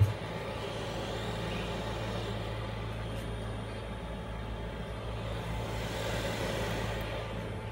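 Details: Cheap eBay 12V 5kW diesel air heater on a bench test, in shutdown after running, casing warm, drawing about 1.3–1.4 A: quiet, steady low hum and soft whir, no combustion roar; normal shutdown fan purge.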